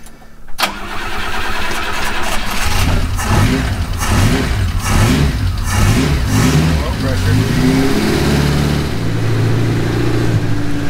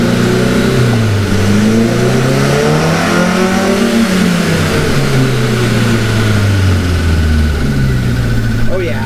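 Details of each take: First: Cushman kei mini truck, first start after engine rebuild with new rings and oil-soaked intake and exhaust: it cranks, catches and settles into a lumpy, uneven low idle with chuffing; cause unclear. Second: Cushman kei mini truck with a rebuilt engine, after pulling ignition timing and adjusting the carburetor idle air screw: the engine revs up and down cleanly with a crisp, even note and no stumble.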